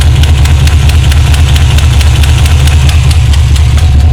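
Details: 1978 Chevrolet Malibu carbureted V8 idling deep and lumpy with a sharp ticking puff from an exhaust leak at the header flange, felt by hand near the header.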